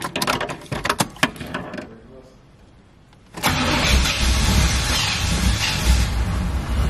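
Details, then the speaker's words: C4 Corvette after new spark plugs and distributor cap: a few cranking turns, then a steady idle with a light, quick tick. The owner suspects the rear spark plug isn't screwed all the way in and plans to tighten it. "right all right seem like that back sport plug Lo all the way in cuz I hear it ticking so what I'm have to do is take that back one off and actually tighten it up a little bit more CU that's the only one I hear"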